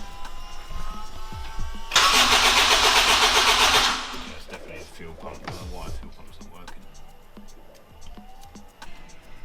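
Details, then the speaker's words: Honda Integra DC5/RSX with a new Racing Circuits engine harness, first start attempt in 8 months: about two seconds of steady, fast starter cranking without firing, because there was no fuel in it; crank, no start. "so this is actually day two or Saturday after yesterday back in the unit with the car because there was no fuel in it so obviously it wouldn't start"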